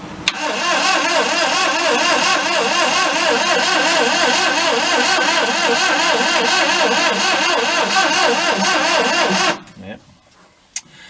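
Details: 1992 Daihatsu Hijet mini truck, compression sounds good on each cylinder, gas gauge reads empty: steady fast starter cranking about nine seconds with only faint uneven catches, never running. Cranks but will not start; cause suspected, not confirmed (plugs checked next).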